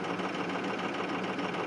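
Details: 2005 Ford 6.0 Powerstroke diesel, cold at 17°F, high idle, injectors 1 and 5 bad: rough, uneven clatter with an irregular lope; misfire from the two faulty injectors.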